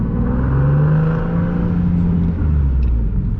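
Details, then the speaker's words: Nissan 370Z Nismo with single turbo, cruising through a neighborhood on a very hot day: deep, smooth, steady exhaust rumble with no rasp or puffing leak. Normal, healthy exhaust note. "so this car sounds so good man so good infatuated with it like i say all the time"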